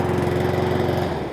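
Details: Brand-new Cobra self-propelled lawnmower, first pull start after sitting half an hour with no carburetor leak: steady, quick single-cylinder putter at an even pitch, no misses or surging; normal running.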